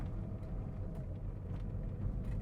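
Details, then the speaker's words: VW Vento test drive on rough gravel road after replacing the pulley and fixing the right-fender rattle: only even road rumble and tyre-on-stone crunch, no rattles, knocks or squeaks. "మీరు చూడొచ్చు road ఎంత వర్ష్ condition లో ఉంది but అయినా గాని అసలు ఎటువంటి noise అయితే ఏం లేదు మీరు చూడండి జస్ట్ ఆ స్టోన్స్ కి టైర్స్ కి ఉన్న ఆ సౌండ్ తప్ప ఇంకా అసలు ఇటు సైడ్ అయితే ఏ నాయిస్"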